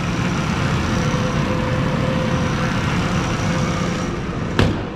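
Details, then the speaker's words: 4WD amphibious overlanding van with push-button start, idling while warming up: a steady, even low hum with no knocking and no belt squeal. A healthy idle. "let's take a look at this just listen to this hum oh man no real knocking or nothing no belt squealing"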